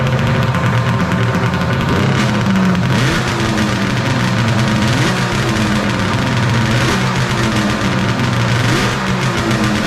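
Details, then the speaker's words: 1995 Polaris Storm 800 two-stroke triple snowmobile, 1,500 original miles, after setting carb idle screws to 5.5 turns out with airbox refitted: steady idle with small throttle blips, no stumbling, running well. "sounds like it's running pretty good now all right guys we got the airbox back in running good i' call that a success"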